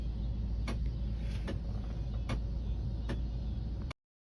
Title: Another issue with my car (A/C making noises)